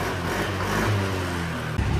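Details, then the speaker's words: Yamaha NMAX V2 scooter that only cranked without starting for two months, now fixed: engine fires and settles into a steady low drone, picking up briefly near the end; runs normally. "Papaandarin ko na. Tignan natin, the moment of truth. Yan o. Boss, it's alive! It's alive!"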